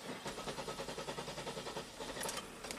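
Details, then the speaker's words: 2002 Buick LeSabre 3800 V6, 210,000 miles, no codes: starter cranks steadily for too long before the engine catches and settles to 750 rpm; long crank, owner reports it after hot soak with stalls and surges; cause not yet confirmed. "okay kind of a long crank time and then it comes to life"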